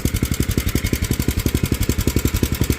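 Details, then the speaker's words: Small engine on a mini tractor project, just fitted with a new carburetor, new fuel line and fresh fuel, worn, needs a spark plug and air filter: even chugging idle at about nine beats a second, steady with no misses, normal idle. "She sounds good. All right, definitely gonna need a spark plug."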